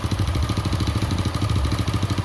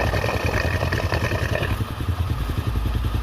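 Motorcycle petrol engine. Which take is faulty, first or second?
first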